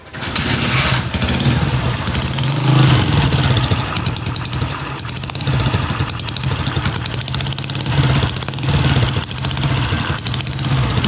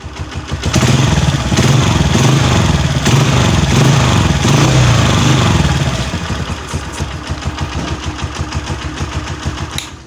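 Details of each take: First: Honda CG 125 Euro 2 motorcycle at idle: rapid, sharp ticking and puffing that sounds like loose tappets in the head, but actually comes from a leaking, damaged pressure pipe. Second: Honda CG 125 Euro 2 after replacing a small pipe that caused a very loud noise: a brief rev, then an even single-cylinder thumping idle with a clean exhaust note and no rattle. Normal idle, noise gone.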